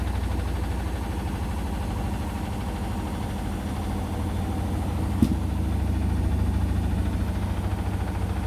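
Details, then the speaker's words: Indesit washing machine (XWA91683/BWE101683) with towels on Daily Quick 60, 1000 rpm final spin: heavy uneven thumping about 160 per minute, rocking the machine and floor; extremely unbalanced load, possible bearing clicking noted. "why is it talking about that very bad spin in there oh no the whole floor's shaking as well as the whole uh washing machine shaking as well"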